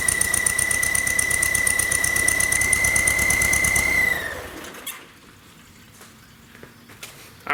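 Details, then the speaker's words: Volkswagen, rough idle, noise comes and goes with throttle: steady high whistle and quick ticking until shutoff, first thought a bearing; owner suspects a vacuum leak at the intake manifold. "But I'm going to start it up, and you can hear the noise. Hear how it comes and goes with the throttle?"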